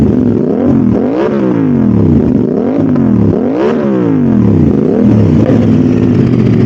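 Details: Modified Aprilia RS660, before remapping, after all disturbed connectors including the O2 sensors were replugged to clear the fault code: clean repeated rev blips rising and falling freely, with pops and flame on the overrun; normal revving.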